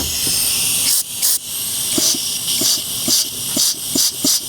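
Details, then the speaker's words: Mazda 3 automatic transmission, disassembled on the bench and air-checked before new O-rings and seals: strong air hiss with soft repeated thumps as each clutch pack applies and releases; both clutches come on cleanly, no leak-down. "We can hear that one, too. So, both of those clutches are coming on."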